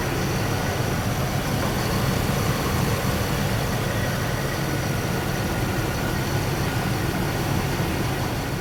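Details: Vortec V8 shop truck after spider injection upgrade from central port to multi-port: smooth, even low idle with no misses, knocks or stumbles; settles into a healthy idle.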